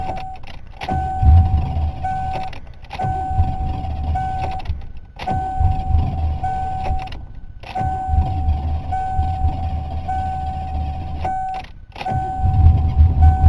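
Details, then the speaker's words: 1988 Ford Crown Victoria fuel-injected engine with a long-standing slow-start problem: repeated starter bursts, engine won't fire on steady cranking; cause unknown, a loose EGR hose found during diagnosis. "see if I just sit here and crank in it it doesn't even want to fire but if I do this a few times and wants to try to start at least"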